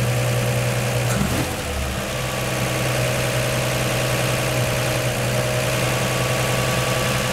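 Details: 1949 Chevy 3100 idling after swapping its Pertronix Flamethrower distributor advance springs to high-range copper for earlier mechanical advance; smooth, fairly quick idle with a steady low drone and no misses or knocks, seeming to start easier and idle higher from more advance.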